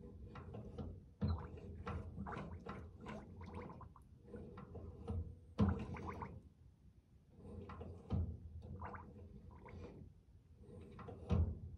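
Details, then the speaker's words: 1954 Chevy with a long-standing soft, mushy brake pedal, bench bleeding a new larger-bore (1-1/8 inch) aftermarket master cylinder: irregular wet gurgles burst with each pedal stroke as air bubbles through the return lines. Air still needs bleeding. "quite a few bubbles in there as one would expect now i can hear all the air coming through"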